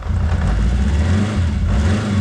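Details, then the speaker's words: 1983 Honda CB750 Nighthawk, sat about ten years, first start after reconnecting an unplugged spark connector: even throaty low burble with a light rev rise, all four carbs working, no knocks or misses; normal idle. "listen to it for free b750 wow it's idling all four carbs are working smells great like success in here"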